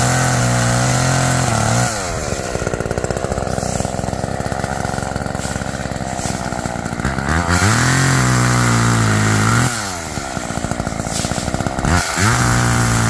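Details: Roadside-found Homelite chainsaw after carburetor rework, cold-started after sitting, cutting wood outdoors in wind: crisp two-stroke rasp bogs a little into each cut, then clears to full revs. Chain wet and oiling; owner thinks it runs a little rich, bogging in larger logs.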